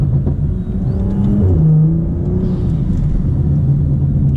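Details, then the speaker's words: BMW F30 335i (N55 turbo six) driving with new BMS Elite performance intake, sound from front of engine. Deep rumble with rising whoosh as boost builds then soft release, like a blow-off valve: turbo spool and intake whoosh. "definitely sounds like a block valve that's what i can like say about the noise it sounds just like a blow up valve"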